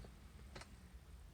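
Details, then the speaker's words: Jeep JK with LT engine swap, no-start: key to start gives a couple of sharp relay clicks, radio and lighter lose power, and no starter whir or cranking follows; relay works but engine does not crank. "when I turn the key it engages the start signal I don't I hear to start a relay in the tip them I don't hear anything at my start"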